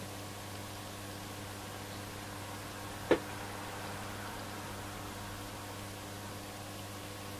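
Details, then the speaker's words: Roberts R747 radio on the bench for drifting tuning. Loud steady mains hum with faint overtones and one click, heard with the set switched off; a power supply fault is suspected but not confirmed. "there's quite a bit of hum from this take quite quite a lot of main sump in the off position so it will suggest to me that possibly we've got a power supply of that it's loud"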